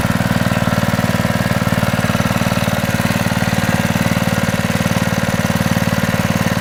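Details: Honda GX120 reassembled after head work, one bolt left over, started first pull: smooth, even idle with regular firing pulses and no knocking; normal running, owner notes a slight exhaust valve flutter.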